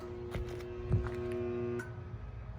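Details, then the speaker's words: 2011 Bryant rooftop AC unit not cooling: steady low electrical hum with no motor spin-up, cutting off after a couple of seconds; compressor tries to start but stalls, popped capacitor suspected, not confirmed. "I don't know if you heard that, but it's trying to start. There's a humming noise, so let's take off this access panel."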